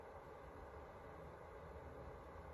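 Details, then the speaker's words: Hikvision system's cooling fan running: faint, even airy whoosh, no ticking, rattle or pitch wobble. Normal fan running. "but it is quieter when i remove okay so then it comes down to a whisper with the cover off"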